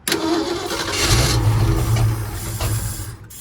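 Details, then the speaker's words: 1951 Ford F1 truck on jumper box, oil pressure just established: steady starter cranking at a few beats per second with no firing; engine not getting fuel, pump not working, needs gas. "yeah we just need gas we need to probably get some gas and she's a runner"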